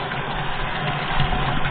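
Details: Newly drilled 14 m well in a caisson, pump station running on 32 mm pipe without a check valve: a steady low motor hum with an even pump drone under pressure.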